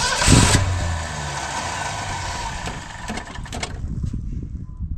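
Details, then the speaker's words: 1962 Ford Falcon wagon, 200 cu in straight six believed from a 1966 Mustang, first start in over 20 years on fuel poured into the carb: catches roughly, runs a few ragged seconds, dies; no fuel reaching the carburetor. "the other thing is it it's not it's a it's no fuel yeah I can guarantee it's not getting any fuel up in that carburetor"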